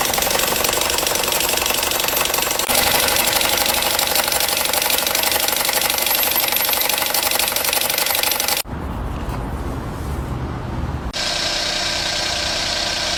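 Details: Engine with loud abnormal noise audible even from a distance: harsh running with fast rattle about four per second and strong hiss; suspected bearing, turbo or compressor, source uncertain.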